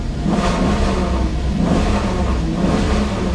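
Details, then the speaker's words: 4.7L V8 Maserati Quattroporte S, catalytic converters removed for diagnosis: deep, even rumble with smooth rev swells, sounding decent and much better, though it later runs badly again in sport mode. "it actually doesn't sound too bad. It's running halfway Sounds decent. better. I mean, I know it doesn't sound great, but I'm telling you, this is way better."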